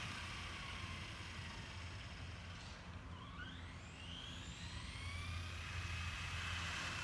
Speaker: so the car is making a funny noise it's a Slash 4x4 I have no idea what noise it's making I just put a center diff in it and I don't know if that has anything to do with it